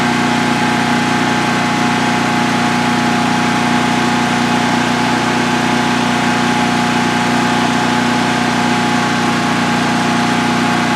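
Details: DuroMax XP15000HX generator, newly installed in a shed, on its second start: steady, even drone at constant pitch with no misses, knocks or surging. Normal running.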